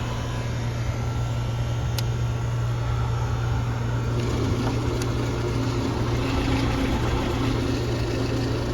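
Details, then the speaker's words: Outdoor HVAC condenser unit, assumed R22, in rough shape with a faulty disconnect: a steady low hum with an uneven, rough whir from the fan. The fan runs noisy and its wire had pulled out; amp draw is unchanged during the noise. "fan sounds like crap. The fan wire pulled out. See what it's pulling when it makes that weird noise."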